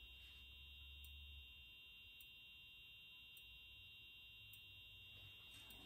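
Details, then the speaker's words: EH-24S alarm horn/strobe under restoration, powered from a bench supply: faint, steady high-pitched piezo tone with a soft tick about every second. The horn is barely audible but the strobe works. A capacitor is suspected to drive the sound amplification. "so that's very interesting actually so as you can hear it's trying to make noise well it is actually it's just very very quiet and the stroke does work so that's good"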